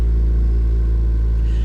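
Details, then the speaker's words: Salvage Chevy SSR automatic, jump-started at idle with warning chimes; heavy deep droning rumble with strong steady shake, no knock or tick; excessive engine vibration at idle, motor mount issue suspected. "you know if this car was a stick i'd be a lot more excited about it but i mean even as an automatic oh she's vibrating very vibratey"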